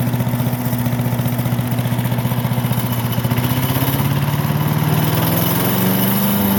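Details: Briggs and Stratton small single-cylinder engine after fuel diaphragm repair fixed a no-run: fires and runs steadily with an even popping beat that picks up a little speed, smooth and healthy.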